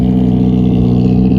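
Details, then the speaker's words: Honda Accord CB7 project car with tucked exhaust, after injector O-rings and coolant leak fixes, driving after a hill climb in second gear: deep, even, throaty engine note, smooth with no knocks or misses; healthy revving. "Sounds crazy. Sounds like a Honda for sure. So excited."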